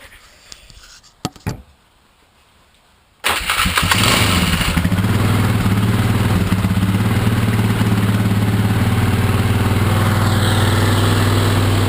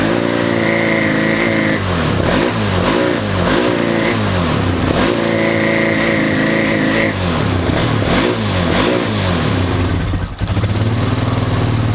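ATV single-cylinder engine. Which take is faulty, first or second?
second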